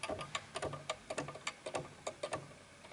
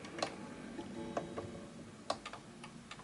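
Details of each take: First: Antique 1920s 8-day Napoleon hat mantel clock: uneven tick-tock at roughly a hundred beats a minute, gaps between ticks noticeably unequal as the case is pushed far to one side on a slanted surface; the clock is out of beat. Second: 1920s 8-day Napoleon hat antique mantle clock after being pushed slightly left to find the middle. Soft ticks roughly three per second with tick and tock evenly spaced: the clock is running in beat.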